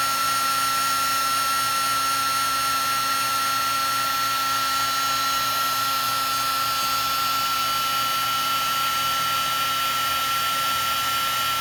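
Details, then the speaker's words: Heat gun used for heat-shrinking wiring on a Honda Monkey Yoshimura fender eliminator install: constant high whine with a harsh gritty grinding overtone; sounds horrible, owner suspects the fan is rubbing. "Oh man, that sounds horrible. Sounds horrible. Something's up with my heat gun."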